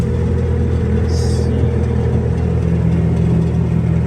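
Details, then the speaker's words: 2015 Bobcat T590 tracked skid steer, just started: smooth, even low diesel drone with no knocking, miss or rattle. Normal diesel idle. "So hours will be 32:59. Start it up. Nice and smooth."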